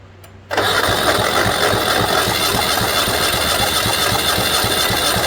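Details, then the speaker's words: 1970 Honda N600 sedan twin, long-sitting engine, cranking compression test: steady even cranking with no weak strokes; right side about 145 psi (good), left side only about 90 psi. "Oh, wow. That one's like 145. That's the right side's really good. Left side, not so good."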